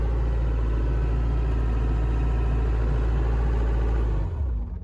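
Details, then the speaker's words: Mustang skid loader running after a field service fix: steady, even diesel chug with a smooth beat holding constant speed until shutdown; engine runs healthy, repair successful. "yeah that's pretty I like that sound very good"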